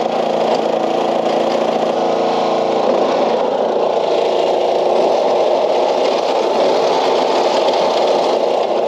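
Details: Old Craftsman LUV (Lawn Utility Vehicle) riding mower, non-runner revived, fuel cap left loose as vent suspected plugged: small engine holds steady, even buzz with no surging or dropouts; stays running and goes in gear; normal running.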